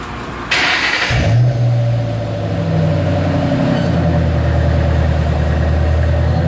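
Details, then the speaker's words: 2008 Ford Mustang GT V8 after swapping ignition coils between cylinders six and two to trace a misfire: catches, revs and settles into a smooth, even run with no stumble; no misfire, running clean. "fired up the engine took off down the highway everything smoothed out engine is turned like a kitten no problems at all"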